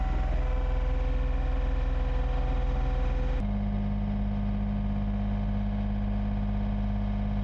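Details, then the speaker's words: John Deere 1445 with freshly rebuilt Yanmar 3TMV88 three-cylinder diesel, first start, smoky 20-30 minutes then cleared: even clatter at steady mid throttle, smooth regular firing, one clean pitch change; running properly and timed correctly. "today I fired it up for the first time it was Smoky for about 20 to 30 minutes but after that it actually cleared up and it doesn't smoke anymore more so that means the engine is running the way it should"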